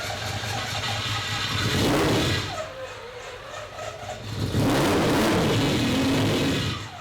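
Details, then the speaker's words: Triple-turbo 12-rotor rotary on ethanol with Haltech ECU, rebuilt and ready for dyno: two strong clean rev sweeps with crisp even rotary howl, no misfire or knock; sounds much different than before, healthy. "there we go. That sounded sick. This sounded so much different. Totally different than before. That is the triple turbo 12 rotor."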